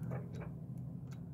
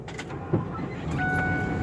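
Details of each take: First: RV slide-out motor clicks faintly but never moves, heard under engine idle (engine must run, parking brake set); breaker and 10 A fuse tested good; in/out slide control switch tested and found bad. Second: 31 ft RV slide-out motor after replacing a failed 15-year-old switch with crimp connectors: steady, even motor drone for about ten seconds with short repeating beeps, then stops cleanly; slide-out works normally.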